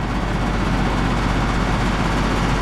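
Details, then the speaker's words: Split-system heat pump condensing unit that is not heating or cooling: steady low drone with heavy rattling vibration, compressor running and shaking hard, suction line only warm, condenser fan running; cause unclear. Excessive vibration, not cooling. "So the compressor is actually running in this thing. This thing is shaking like crazy."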